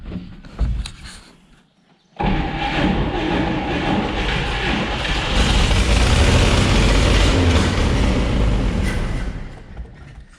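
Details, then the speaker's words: 1959 Chevrolet Apache original engine, first run after almost 40 years on open exhaust manifold, freed-up sticking carburetor: rough, lumpy rumble surging and sagging, choking on too much fuel; rich running, flooding. "You can hear it all funneling down there. It's definitely way too much fuel, so she's choking on it, but"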